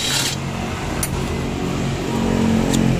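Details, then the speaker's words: Yamaha NMAX scooter idling, sound from the CVT side: uneven scraping rub and sharp ticks. With the cover opened, the CVT fan was found hitting its housing because the nut had come loose. "Wah ternyata Ada gesekan di bagian kipasnya guys Kok bisa Hah Bisa nempel Mang kendor Mang guys ternyata bagian kipasnya menghantam baknya guys"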